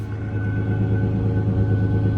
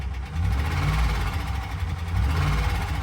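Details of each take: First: 2011 Ford Ranger 4.0-litre V6 at auction, high mileage, owner thinks timing chains may be due: steady deep exhaust rumble with even beat and no knocks, ticks or misses; engine runs smoothly. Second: Deep uneven idle rumble with heavy, irregular low knocking from the 4.0L engine of a 2011 Ford Ranger at 151,378 miles; internal engine knock, source not pinned down, with electrical issues (dead battery or alternator suspected).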